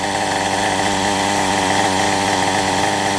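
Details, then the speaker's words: Kyosho MP9 nitro buggy, standard two-stroke engine after tuning, nearly out of fuel: high, buzzy, steady idle drone holding one pitch without stumbling or surging; nice smooth tick-over. "Nice smooth tick over."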